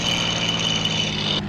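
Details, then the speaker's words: P-51 Mustang Merlin V12 ground run-up at 2300 rpm, about 29 in manifold pressure, engine hot: steady, even, deep drone at high revs with no misses or roughness; smooth, healthy run-up. "we're going to 2300 RPM which is field man which is field barometric pressure about 29 in oh listen to that Merlin here we go that's"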